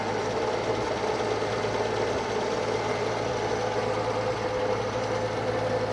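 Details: Circa-1952 Austin 6-cylinder petrol truck just revived after about 20 years standing: steady even idle, constant low hum, no ticking or misfire; normal idle, owner unsure of a slight miss, hears no burnt valve, found a lead pulled from the distributor cap.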